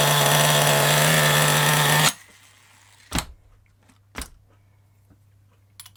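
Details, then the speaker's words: FTX Carnage nitro RC car with new 2-speed gearbox, engine hot: high, steady buzzing rev for about two seconds, then cuts out; clutch set too tight, dragging. "right let's fire it up going to get a little of screeching I think cuz that bit tight"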